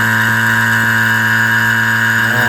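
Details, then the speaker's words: Vacuum pump evacuating the R134a AC system of a V8-swapped Chevy S10 after the gauge valves are opened: a steady motor hum whose tone shifts as it pulls vacuum on the low side. Normal running; it runs 20–25 minutes. "you can hear the pump changing sounds and you can see it's already pulling to the vacuum on the low side"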